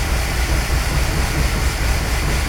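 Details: Newly rebuilt '65 Ford Falcon engine, first start after a year of restoration, oil primed and distributor just installed; loud heavy low rumble with uneven thumping pulses, running rough and shaking, cause unclear.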